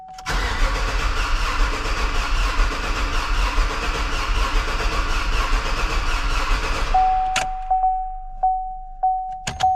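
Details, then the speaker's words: 2016 Chevy Silverado rebuild, first start after fuel lines were taken apart; steady starter cranking about seven seconds with no catch, crank no start, probably no fuel reaching the engine. "so nothing so far. Let me just go check a few things and we'll see, but I probably just don't have fuel because I had all this fuel lines apart and everything."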